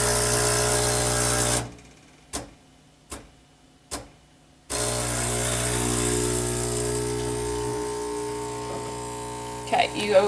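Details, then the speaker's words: Breville Barista Express BES870XL set to espresso: steady buzzing pump hum, a pause with three soft taps about a second apart, then even hum again as high pressure pushes water through the filter; normal pump operation. "the pump is going to start and then you're going to hear it tap tap tap and then we're going to give it about 25 to 30 seconds"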